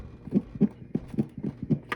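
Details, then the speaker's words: Zenith Allegro 1970s radio/turntable, model JR596W chassis 15WJR29, previously seized motor oiled, playing a record: soft lumping thud repeating about every quarter second as platter turns; flat-spotted rubber idler roller, no spare part available. "Yeah, you can hear the lumping."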